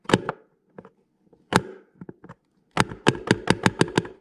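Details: Bathroom exhaust fan backdraft flapper, too lightweight and held partly open by wind: sharp plastic claps as it slams shut when the wind changes, ending in a rapid run of hits; flapper rattle in high winds.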